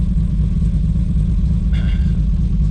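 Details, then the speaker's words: Built 2JZ-GTE in a 1995 Toyota Supra with a deep, lumpy rumble, an uneven beat and no crisp firing rhythm. A dead cylinder is suspected, and oil pressure reads 40 psi. "if we got a dead cylinder, then we're gonna be digging into some real serious problems here."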